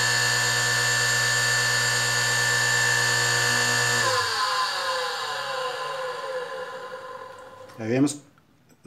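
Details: Industrial sewing machine motor, before repair: high steady squeal continues as motor coasts down, pitch dropping; worn 6203 bearings, lower one worst.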